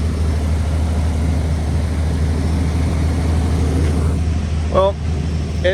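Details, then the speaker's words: 1981 Chevy C10 after tightening the loose distributor rotor screws and refitting the valve cover: even, low rumbling idle with no skips; no longer missing, slight noise remains. "but I mean it's running really good it don't sound like it's missing anymore"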